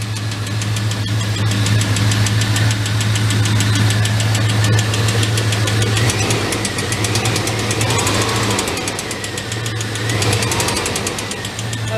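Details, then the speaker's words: GMT 400 truck after long cranking on bad old gasoline: fast steady ticking about three per second over rough idle; owner calls it a lifter noise, oil clean, different valve springs fitted, later found worn #3 intake cam lobe/lifter. "awesome all right now i gotta buy an engine now the lifter dude this is a lifter noise the oil is super clean"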